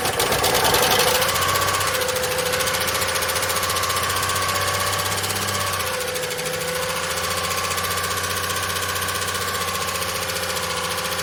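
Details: Long-stored VJ Dodge ute, no transmission fitted: fast metallic rattle over rough running after first fire-up, quietening as it runs; suspected clutch, thrust bearing possibly sitting on pressure plate.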